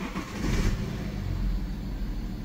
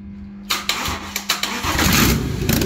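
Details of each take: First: BMW 5 Series F11 525d, N57D30A 3.0 diesel, manual gearbox, 197,694 km, revving: runs but rough uneven low rumble with clatter on the rise; abnormal engine noise, cause not yet known, engine to be dismantled. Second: BMW 5 Series F11 525d, N57D30A diesel, 197,694 km, manual gearbox, after rebuild for a spun main crankshaft bearing that pushed out the seal: short cranking bursts, then catches and settles into even, steady idle without knocks; runs healthy.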